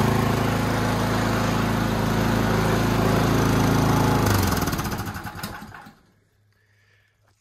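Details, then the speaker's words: Toro Power Max 824OE snowblower after no-start fix and carb rebuild: even single-cylinder chug at steady speed about four seconds, then clean wind-down at shutoff; brief hunting earlier when auger engaged smoothed out; runs well. "she's a runner runs pretty well too there's a little bit of uh there was a little bit of hunting there a second when I turned on the uh the auger but that smoothed right out"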